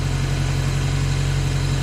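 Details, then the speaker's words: Ford Ranger 2.3L with a 2.5L cylinder head fitted, first running after a no-start: steady, fast idle with an even low thrum and no misses; high idle, idle screw suspected to have been turned up before being lowered. "So the idling screw we think's been messed with this, so we're just gonna turn it down. See if that helps it."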